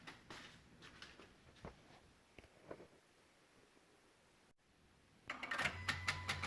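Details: 2016 Honda Odyssey with Engine, VSA, LDW and FCW warning lights on: faint, uneven ticking a few times a second with the engine off, then a louder busy patch, near the PCM and VSA control module; clicking, cause unclear.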